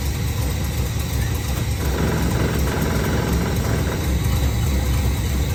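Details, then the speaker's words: V8 HQ ute revived after 20 years, just after an oil change, exhaust refit and alternator wire fix: a deep, smooth V8 burble holding a steady beat with no ticking, knocking or skipping, burning off on the manifolds; normal idle. "That sounds so much better. Listen to this thing. It's burning off a bit on the manifolds, but this thing's an absolute sweetheart now."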